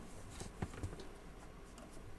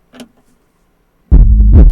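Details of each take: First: Soundstream XXX-15000D car amplifier on first power-up after component replacement, sending sharp scattered ticks and pops through the speaker over a quiet background. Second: Soundstream XXX-15000D car audio amplifier under repair, gain set very high: quiet, then strong clean deep bass through the speaker with no crackle. The channel plays normally.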